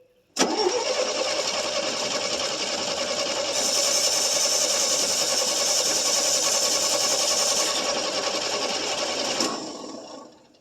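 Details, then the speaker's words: 1966 GMC half-ton pickup, 250 inline six, first start after two years, fed fuel poured at the carburetor base: catches and runs evenly about nine seconds, then dies abruptly without sputtering because ignition was lost; needs fine tuning. "I did lose my ignition. Try it. Yeah, lost my ignition."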